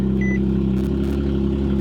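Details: Nissan 370Z with long-tube headers and test pipes, first start after winter storage: smooth even idle hum with steady low drone and brief chime on top; caught first try, idles normally.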